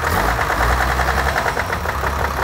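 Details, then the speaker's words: Diesel 4WD freshly rebuilt before the trip: a steady rattly knock at an even beat at idle; loose flywheel and injector knock were considered, a massive exhaust leak is present, and an injector leak was found. "doesn't sound good at all. Best case scenario, it could be an injector knock, but it doesn't really sound like an injector knock."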